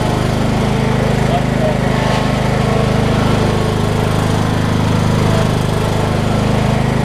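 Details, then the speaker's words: Craftsman LT2000 lawn tractor, 2003 model year, after replacing a tired drive belt: small single-cylinder engine thumping along at a steady, even beat with no misses or surges; drives far better, normal running. "That is 1,000 times better."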